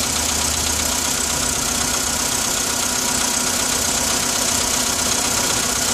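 Cold idle with a fast rattly tapping, about two or three a second, over the engine hum; a knock from an unknown cause.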